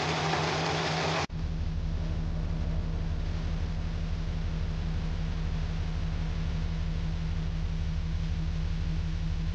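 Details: Audi A7 petrol engine idling with an uneven, lumpy beat and recurring stumble; codes P0306 misfire cylinder 6 and P130A cylinder disabling; cylinder misfire at idle.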